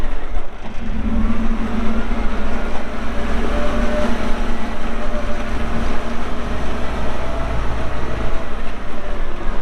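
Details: 2014 Kawasaki 65TMV D2 wheel loader, pre-emissions Isuzu diesel, 7,671 hours, working: deep, steady diesel drone swelling evenly with load, no knocks or rattles; engine running well.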